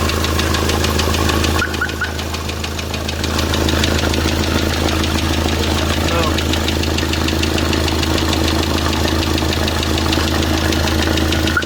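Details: D4CB diesel after break-in idles with a steady knock about three times a second; piston shows a strike mark, traced to a broken piston cooling jet hitting the piston.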